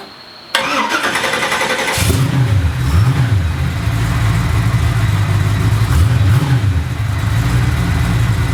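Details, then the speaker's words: Engine with new homemade stainless X-pipe exhaust, mufflers open out the back with no tips yet: cranks, catches, deep even burble with clean blips, loud but healthy; faint water pump or alternator sound audible over exhaust. "I think I'm pretty happy with it still calm loud but not it's got every other month actually sounds like you can hear what sounds like a water pump maybe over the exhaust or maybe it's the alternator whatever it is it's lighter than the exhaust is"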